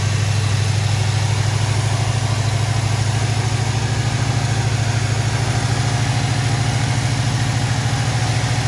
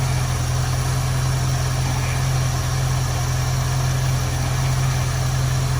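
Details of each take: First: 1973 Ford Mustang convertible, 302 V8 with factory Motorcraft 2150 two-barrel carburetor, automatic choke; cold start after half-throttle crank, steady even rumble with no misses or knocks, fast idle on choke around 900 rpm; normal. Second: 1973 Ford Mustang convertible 302 V8, Motorcraft 2150 two-barrel carb; idle mixture screw turned in until rough, low steady beat with uneven loping pulse, lean rough idle before backing off to smooth.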